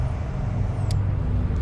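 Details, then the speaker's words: 2006 BMW 530xi 3.0L AWD, air suspension unfixed for two months, code 5F97 EHC compressor relay; compressor under car switched on via scan tool relay test, steady low even buzz, no knocking or cutting out; normal operation, now fixed. "actually wait let's see can we just turn the compressor on let's see special functions check compressor relay see there we go look at that"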